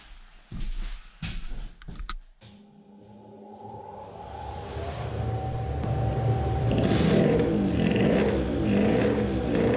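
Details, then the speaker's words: 50cc racing two-stroke moped build aiming for 20 hp: climbs slowly and sluggishly with a dull, muffled note, still running rich; poor revving. "does it rev any better? it is again rich."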